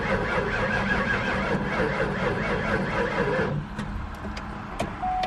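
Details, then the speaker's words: Mustang SVT Cobra V8, first start attempt with jump box: starter cranks steadily for several seconds but never catches; fuel pump was left unplugged, so no fuel. "Okay. Oh, yeah. That's right. I didn't plug up the fuel pump right down here."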